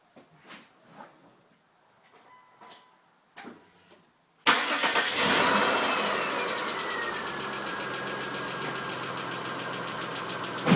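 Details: Chrysler Stratus/Cirrus 2.5L after timing belt kit, spark plug and intake gasket replacement, with a camshaft having slipped a quarter turn during belt fitting: cranks and catches into an uneven, ticking rough idle; cause suspected, not confirmed.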